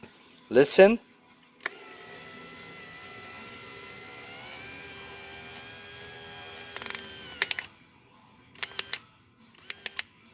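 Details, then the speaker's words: Infiniti G35 window motor under test: a steady whine for several seconds, then sharp clicks and stuttering bursts. Motor suspected of skipping at its internal limit switch or gears, possibly broken; cause not confirmed. The motor was then replaced. "you hear that little clip that's probably when it starts to skip it could be broken and that's why when it passes those gears then you fall like in the limited switch problem"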